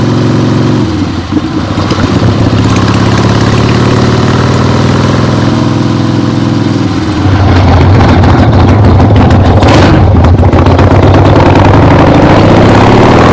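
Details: 1975 Harley-Davidson XLH Ironhead Sportster, freshly rebuilt and basically stock, camera clipped to the rider: deep, even V-twin thump idling then pulling up cleanly as it is ridden on a test ride, no misses or knocks; healthy.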